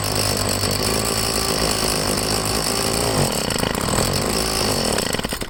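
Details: Two-stroke leaf blower just started on choke with fresh gas and Seafoam after priming the purge bulb: buzzy note that holds, then sags and wavers instead of revving up cleanly. Owner suspects the carburettor. Poor throttle response, which improved after running a while.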